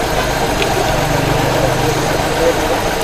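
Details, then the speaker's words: Pak Suzuki Mehran Euro 2 petrol, after fixing a fuel injector pulse problem that caused a misfire: now idles with a steady, even hum and no stumbles. "है यह देखिए अब गाड़ी का sound ठीक हो गया"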